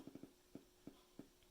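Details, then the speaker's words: Califone 3670 cassette deck amp at low volume right after power-on: soft dull pops and grizzles from the speaker about three a second; cause not yet known, maybe more cleaning will help. Power-on popping. "And when I turn it on first, it does little pops and grizzles and stuff."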